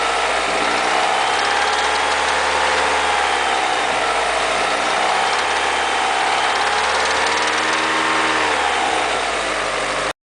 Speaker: Knocking or metallic knocking, also known as engine knock. Engine knock is considered one of the dangerous engine sounds.